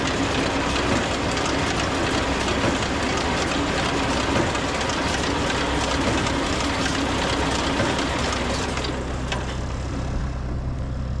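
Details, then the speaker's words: Swather after new bearings and chain reinstalled: steady machine roar with faint uneven light knock about three times a second; likely a flange bolt catching a bushing bolt from overlooked spacing; bolt contact knock. "so you can hear that little bit of a knock so most likely there's a a spacing issue that I've overlooked on on you know a a bolt here is hitting one of these one of these flange bolts is probably catching on one of these bushing bolts"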